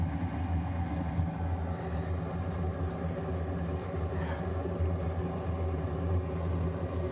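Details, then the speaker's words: RV furnace after repair, heard from outside with the cover off: fan and burner running and hot (previously the fan started then cut off), low steady rumbling hum and even combustion roar, brief handling knocks; normal running. "why don't we go back outside the fans going and now the burner's going and that's hot"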